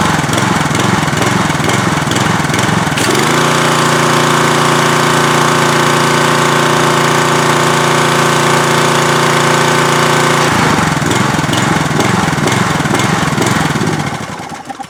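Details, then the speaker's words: Troy-Bilt pressure washer small engine after cleaning a carburetor clogged by old stored fuel and adding clean gas: runs steadily, steps up then idles down with slight surging; running reliably again. "I really don't like this idle down technology. I don't know why it has to do that. I don't see the advantage, and it still wants to like surge a little bit. But we got it running pretty reliably,"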